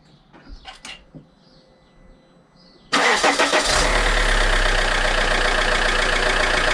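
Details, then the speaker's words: Alfa Romeo 159 1.9 JTDM diesel, after fitting a new exchange turbo: catches instantly and settles into a steady, even idle with no knocks or whistles. Left idling to get hot and burn residual oil from exhaust and DPF. "so I'm leaving the idling for a bit I want it to get nice and hot so it can burn the residue oil out of the exhaust"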